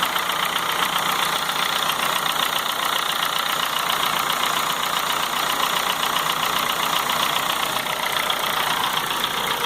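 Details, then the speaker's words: 2004 Honda Fit 1.4 LXL gasoline CVT automatic, warm idle: fast even top-end ticking, diesel-like, much quieter when cold, louder once warm, quiet at high rpm, nearly stops in gear; cause unconfirmed, later fixed. "aí eu fico um barulho semelhante a um motor diesel e quando o carro está frio esse barulho é muito muito muito inferior quando ele esquenta é que ele começa a ficar bem perceptível mesmo"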